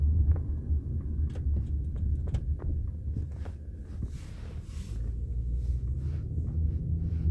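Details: 1998 Toyota Camry, 132,958 miles, driving with camera at rear: low road rumble with irregular dull thumps over bumps; newly installed aftermarket rear struts knocking.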